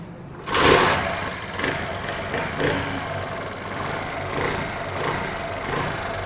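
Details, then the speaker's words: Old model China motorcycle started before tappet adjustment: fast dry ticking clatter from the top end at idle, tappets (valve clearance) too loose, risking valve head damage. "अभी bike के engine में शोर आप सुन सकते हैं। जब टैपर्ड्स loose होते हैं, जरूरत से ज्यादा लूज होते हैं, तो इंजन में इस तरह की नॉइस का इशू होगा।"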